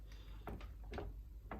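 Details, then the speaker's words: 1992/1993 Yamaha WR500Z rear end worked up and down by hand: a few dull, hollow clunks as the shock moves independently of the frame; upper shock bearing gone, needs replacing. Worn shock bearing knock. "So it feels a bit loose, and there's always like this telltale knock sound."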